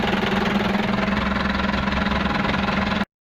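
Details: Nissan Urvan TD27 diesel engine that had a no-crank no-start problem, now running: steady diesel clatter at idle, about three and a half beats a second, even and settled; normal idle.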